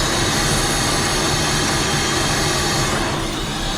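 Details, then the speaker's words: Holden VT Calais with L67 engine, run after sitting 4 years, head gasket stop leak previously added; very low lumpy idle with ragged pulse about four a second and rough rasp; running very rough, owner suspects bad head, unconfirmed. "give us a little bit of wine if you could hear that so it's uh running very rough"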